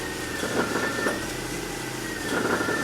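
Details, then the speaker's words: BMW X5 E53 with M54 engine idling: quiet idle, then rising pump whine with dull knocks each time the steering wheel reaches full left or right lock, clearly heard at the rear of the engine bay; source not yet identified. "и вот если рулём сейчас довести влево или вправо до упора будет исходить посторонний звук в виде стука"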